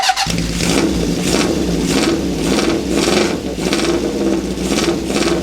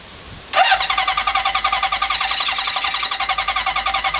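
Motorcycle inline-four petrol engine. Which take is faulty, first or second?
second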